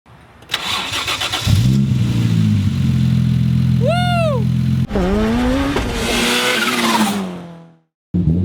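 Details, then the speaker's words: Nissan 240SX project car, first start-up after engine swap: cranks, catches, holds rough fast idle, then a brief rev that sags and fades; ECU putting it in limp mode, dumping fuel, pedal unresponsive. "it's going into limp mode and that's why it's just dumping fuel like crazy so you start the car up and when you push down on the pedal nothing happens"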